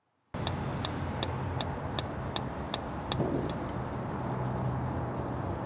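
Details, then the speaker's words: Travel trailer electric/propane fridge on propane during dewinterizing: about eight igniter clicks at two and a half per second over a low hum, then they stop as the propane burner lights; propane side working normally. "You'll hear a clicking sound. That's the igniter creating a spark to ignite the propane. You'll hear once it ignites."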